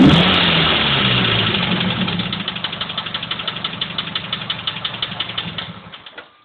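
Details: Mazda 3 idling with a crisp clicking about four per second that continues as the engine winds down and stops; source not yet identified.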